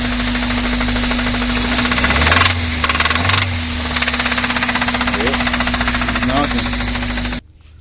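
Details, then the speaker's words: 1997 Honda Civic hatchback D16Y7 SOHC non-VTEC, knocking began after wide-open throttle with extremely low oil; loud rapid metallic knock through the idle: rod knock, rod bearings to be replaced. "1997 Honda Civic has a rod knock."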